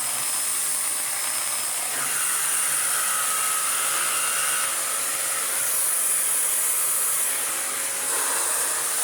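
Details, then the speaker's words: Restored Electrolux D820M (Lux 1 Royal) vacuum with its well-used turbo tool, meant for minimum mode: high rushing airflow with a rough, uneven grinding whir from the spinning brush; rattles badly but still works. "I mean, for as bad as that sounds, and unfortunately it's probably never going to sound any better, it is a well-used little tool, bless it."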